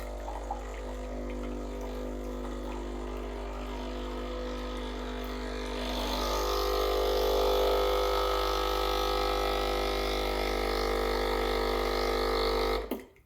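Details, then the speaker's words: Breville Barista Express BES870 after descale and cleaning, pump running hot water through the group head: steady even pump drone with hum and mild hiss, swelling midway as flow settles; healthy. "Takes about 15 seconds. And then you start hearing the pump. The pump goes every half a second"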